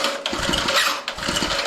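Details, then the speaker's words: Old Homelite gas water pump, unused for about a year, pull-started with choke set: a rough, raspy pull with uneven chuffs. The recoil starter one-way bearing is binding and can lock up the crankshaft and stall the engine. "now i can already hear it the one-way bearing season did you hear that now you might get it running and it might instantly lock up and bind the motor up and shut off because all the the crankshaft is turning against the rope here"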